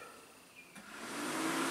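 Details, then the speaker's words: Truck electric cooling fan commanded on via THINKDIAG 2 scan tool active test from the engine control module: quiet, then smooth rising whoosh settling to steady even roar; normal cooling fan operation. "cooling fan in fact let's see if we can just kick the fan on hopefully you'll be able to hear it"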